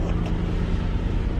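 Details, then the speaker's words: 2003 Mitsubishi Eclipse GTS 3.0L V6, five-speed manual, after fuel pump and filter replacement; dead cold, steady idle slightly high, smooth, no knocks or misses: normal cold idle. "but yeah now idling a little bit high right now just because it you know it's cold you know she's dead cold but nice"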